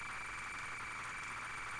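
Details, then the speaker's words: Unknown ZX Spectrum cassette, flight simulator program loading: hissy, smeared loading tone with a hum underneath and no crisp data edges; corrupt or worn tape data, failed to finish loading. "oh god oh god did you hear that was like oh was Earth Day was not a happy bunny at least at least I can hear some just war sounds horrible no wonder it didn't finish loading"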